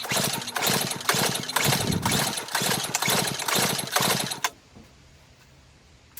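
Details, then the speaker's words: Murray Ultra 5hp 22-inch snowblower, Tecumseh engine with compression release, compression gauge test, choke off, throttle full, about ten pulls: nine even firm chuffs reading around 75 psi, judged ideal, normal compression. "So we're sitting right there around 75. I think that's ideal for a motor with a compression release like this Tecumseh."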